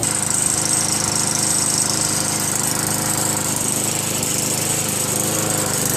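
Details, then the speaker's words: Craftsman Eager One 4 hp Tecumseh 20-inch push mower after carburetor replacement: the single-cylinder runs steadily with a thin, buzzy metallic rattle on top, likely loose inner sheet metal, source unknown. "no no what that damn noise is from never heard it before you guys know what that noises anyway writing in the comments if you guys know"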